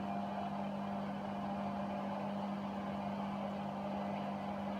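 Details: Hotpoint Aquarius WMA32 washer on fast spin after soldering the damaged tacho cable at the motor (TRIACs replaced earlier didn't fix it): steady, even motor hum at constant pitch, no grinding or knocking; motor spinning normally.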